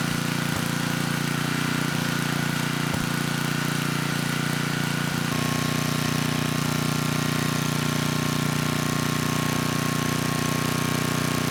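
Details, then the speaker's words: 10hp Tecumseh HM100 on a 6000 W Western Hemisphere generator with a replacement Oregon 50-656 carburetor, governor being adjusted toward about 61 Hz: even drone steps up slightly in speed, then holds smooth with no surging. Normal running. "Well, I think the carb is actually running this engine quite well. It did start without much effort and it was surging at first."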